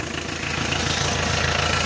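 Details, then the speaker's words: Mitsubishi 4D56 diesel started at 30–31 °C with glow plugs disconnected: starts almost immediately, then steady, even idle clatter with no misfires; normal idle, hard start not caused by glow plugs. "as you have seen no glow plugs and temperature 30 31 degree celsius the engine started almost immediate no hard start problem"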